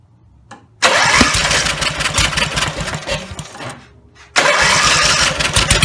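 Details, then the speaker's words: Rebuilt Briggs and Stratton 17HP engine (carb rebuilt, plugs, sump, slinger, gaskets replaced, valves reseated) only runs at full throttle, revving loudly, then sags and dies as throttle drops; won't idle, owner suspects throttle linkage lever position. "I can start it it'll start up if I put the throttle all the way up and just rev up really loud like the engines gonna blow and but if I turn it back down it doesn't either a little just died on me"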